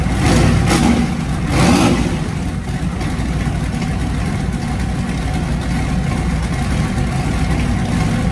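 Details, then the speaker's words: Small-block Chevy turbo truck V8 after cam swap to a Comp 280HR hydraulic roller mild cam: couple of quick blips then settled fairly smooth idle with mild lope; running well after start. "like i said this is a baby cam it's a 280 hr comp hydraulic roller it's nothing big so it's not going to sound big but it does run"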